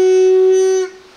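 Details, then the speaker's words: Vespa reed valve (membrane) blow test while checking for gaps: a clear steady reedy buzz at one pitch for under a second, louder than the other reed; a good reed buzzes just from blowing. The petals seal tightly. "Tapi ini suaranya lebih besar dibandingkan ini. Ya, ini lebih nyaring lah itu. Ini lebih nyaring, jadi nggak ketipu-tipu amat lah."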